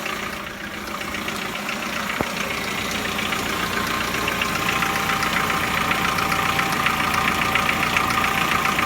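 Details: Chevrolet Lacetti 1.6 engine at cold idle: regular light ticking knock about 2.5 times a second over a steady hum, nearly inaudible once warm; cause not identified.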